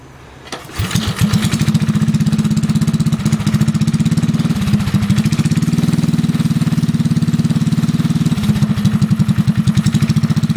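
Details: Rat rod mini bike single-cylinder engine with choke pulled, first firing after build work: catches after a couple of pulls and settles into steady, even putt-putt, no misses or knocks; running fine.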